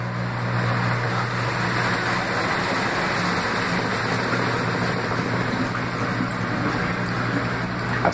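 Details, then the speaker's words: Laundry Alternative mini automatic washer spinning a very small load at intermediate spin, about 850 RPM (owner unsure), after its unbalance sensor rebalanced it: quiet, steady low motor hum with an even whir and no banging. Smooth, healthy spin. "A centrifugação dessa máquina é muito, muito, muito, muito boa."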